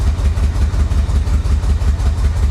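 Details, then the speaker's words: Flood-damaged Corvette, previously storm-submerged in Florida, first running after the fuel pump went back in the tank: deep lumpy uneven idle that never settles, heavy smoke, struggles to stay running off throttle; owner suspects timing, could be fuel. "yeah it sounds like a timing issue doesn't it"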